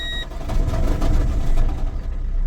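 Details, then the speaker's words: Car with handbrake not working: engine catches on start-up with a brief tinny rattle over the rumble, identified as a loose heat shield. "he that rattle then as we started up that's the heat shield"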